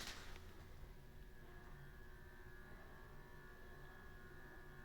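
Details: Vintage 38-inch Hampton Bay Southwind ceiling fan from the 1980s or 90s, running on its lowest speed: a steady low hum with a faint high whine as it turns very slowly. The low speed is weak, cause unclear.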